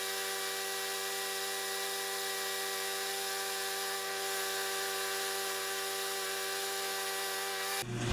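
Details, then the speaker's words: Free Sears Platinum/Quantum walk-behind mower, found behind a garage, running: steady, high-pitched buzz holding even speed without surging or misses; running clean and healthy. "there aren't enough O's and smooth to describe that"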